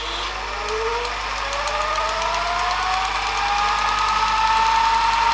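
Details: Panasonic NV-HD650 VHS recorder after service and mode-switch cleaning (previously wouldn't rewind fully): whirring tone climbs steadily in pitch as reels speed up through rewind, smooth without dragging; normal rewind.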